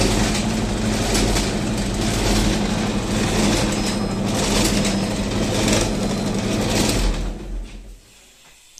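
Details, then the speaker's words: Loud rough rumble with a gritty roar pulsing about twice a second with the drum, fading at switch-off, from a Candy tumble dryer with a worn, noisy drum bearing. "it's got a noisy bearing that's it"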